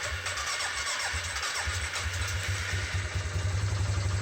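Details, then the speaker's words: Suzuki Vinson 500 ATV, already repaired for bogging and used six months since; slow, uneven, labored cranking at about four beats a second before catching, because the battery is low and worn out and needs replacing. "Little sluggish start. Battery is a bit low. Battery actually needs to be replaced. It's worn out."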